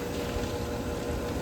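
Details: Pool pump and filter running after replacing the faded, water-filled filter pressure gauge with plumbers tape: steady low churning hum with water rush, no knocks or squeals; running smoothly.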